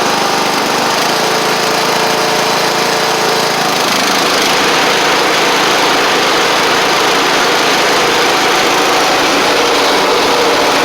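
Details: Sabre riding mower after repair (drive belt and blades replaced, a large oil pool cleaned up) gives a steady, even engine note at one speed with no knocks or misses. Caked-on oil is burning off through the exhaust after earlier cold-start smoking. It runs fine.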